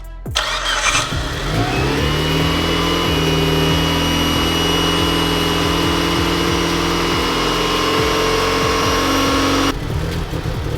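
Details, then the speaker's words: Mitsubishi Evo IX, first start after the build, compression 125-130 psi on all four cylinders: cranks and holds a lumpy idle with a thin high whistle. This is a vacuum leak from a loose intake manifold bolt, confirmed when brake cleaner raised the rpm. "That whistling noise that you guys heard was my intake manifold. One of the bolts was pretty damn loose, and I did the good old brake cleaner trick."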